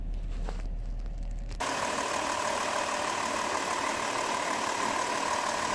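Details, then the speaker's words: 2005 Chrysler Town & Country petrol V6, after replacing worn spark plugs that caused a cylinder-specific misfire: even idle with a steady hum, no stumbles or missed beats. Smooth idle. "So I ended up getting a whole new set of spark plugs. Here's a comparison between the new one and the bad spark plug. It didn't look to be an obvious problem. And these are all the old spark plugs. They were all basically worn out the same. And the van idles so much better now."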